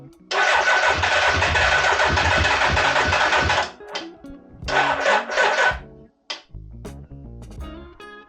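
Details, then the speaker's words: 1986 Suzuki Katana four-cylinder, first start after 31 years, choke held on: catches and revs unevenly with a lumpy, stumbling beat, not firing on all four cylinders. "although the engine was running it wasn't running all four cylinders"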